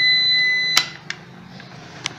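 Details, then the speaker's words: Moulinex blender with broken, miswired supply terminals, power entering and leaving wrongly: a steady shrill beep cuts off after under a second, then a couple of sharp snaps; short circuit. "lo conectamos a la corriente por aquí y sale por esta entonces haría el corto pues no debe de estar así"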